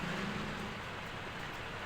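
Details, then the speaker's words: Ceiling fan after replacement of both noisy bearings with SKF bearings and capacitor reconnection: steady soft airy whoosh, no clicking, scraping or wobble; runs smoothly and quietly. "Smoothly बिना किसी आवाज़ के चल रहा है, बढ़िया बिल्कुल smoothly. Finally ये चलकर ओके हो गया है।"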